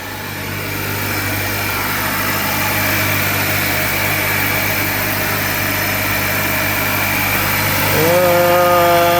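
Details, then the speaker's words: Rebuilt 2023 Acura Integra A-Spec petrol engine at an even, steady idle with no knocks or misses, then a smooth rev rise; no smoke outside and no motor leaks, sounds good. "No leaking in the motor or anything. Sounds good."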